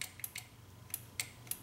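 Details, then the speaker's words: Nissan Maxima right rear power window won't go up or down; sharp clicking from the relay or spring in the switch module with no motor whir; the switch circuit tests good with a test light and the fault is traced to the window motor. "Okay, so the click is actually in the module here, in the switch is what I'm hearing, this like a relay or just a spring."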